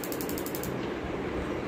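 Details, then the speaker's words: Gas stove auto igniter after repair, a quick even run of sharp clicks about ten a second then quiet; it previously gave no spark and now sparks properly. "এই যে স্পার্কটা এখন হইতেছে, স্পার্কটা এখন এটা সহকারে যাতে এটাও দেখা যায় আমাকে একসাথে।"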